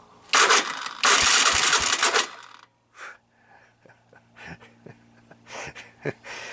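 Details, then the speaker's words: 1985 Honda ATC 250SX Astro, starter button pressed after partly restoring the wiring harness: two harsh, raspy grinding bursts, then faint clicks; the starter is not meshing cleanly, with a risk of stripping gear teeth. "a really really bad starting starter so I think this is more or less where I got this project and I really don't want to chew things up in there"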